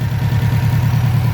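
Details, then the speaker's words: 2006 Subaru STi: heavy lumpy idle pulsing about seven times a second, engine shaking; oil not white, mechanic suspects failed turbo pushing compression into engine, not head gasket. "it doesn't look white so I think the turbo let go and inside the tool is pushing compression but inside the engine"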